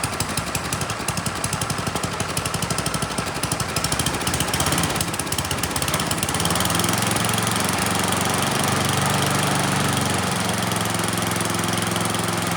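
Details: Neglected Troy-Bilt Storm 10030 snowblower with Tecumseh HMSK105 engine, found with no spark and a suspect carburetor, runs on its own after starting fluid; even popping, then choke off and throttled up to a steady, higher drone with no misses, runs pretty well.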